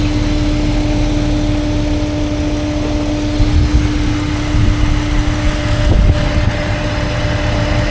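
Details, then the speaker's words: 2005 Jeep Wrangler TJ 4.0L fully warm, AC off, hood open: steady mid-pitched buzz over idle, with lost throttle power and idle climbing to about a thousand; owner suspected a pulley, and a crankcase vent tube to the intake manifold was ordered. "Now, like I said, once I start hearing this noise, once I start hearing this noise, I get a lack of power in the throttle."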